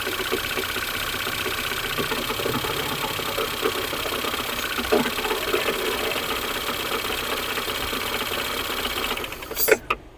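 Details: Ford Fusion 2.0 engine, cold, slightly raised idle, microphone at front: light metallic knocking over thin idle, fading briefly with a throttle blip then returning; noise comes from broken flywheel ring gear, not engine.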